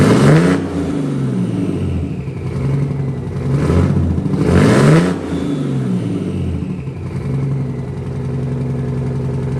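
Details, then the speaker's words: 1968 Dodge C500 truck at 55°F, first start after air-system repair inside a quonset hut: the old engine runs low and throaty with lots of smoke, revs swelling and settling, and keeps running while building air pressure to about 90 psi. Normal running. "God damn, she runs. It's getting a little thick in here, though."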